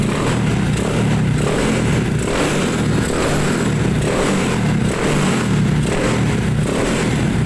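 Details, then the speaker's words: Honda CB100 motorcycle after carburetor cleaning, new spark plug and fresh petrol, after months unused: calm standard idle, then small single revs blipping up and dropping back smoothly without misses or rattles; running healthy. "Nah k ini kedengaran kan suaranya Suara standar ya Nah kalem kalem kayak gitu Dan kalau ingin check sound kita kayak gini aja"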